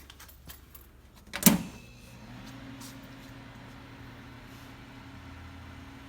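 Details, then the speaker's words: Refrigerated air dryer of a new Quincy QGS 7.5 HP rotary screw compressor system, at first startup on an extension cord: after a brief key jangle, a faint, steady, even low hum. The dryer is running quietly and normally. "Dryer is on and operational. Very quiet so far."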